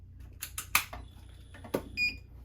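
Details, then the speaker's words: 1 kW inverter on a 12 V lithium battery through a Victron Lynx distributor, no solar running: a few sharp relay clicks, then a short high beep over a faint steady hum; inverter starting up normally. "you can hear it. So it's now running through here. The distributor is doing its job. Note that none of the solar is running, it's just the inverter and the battery."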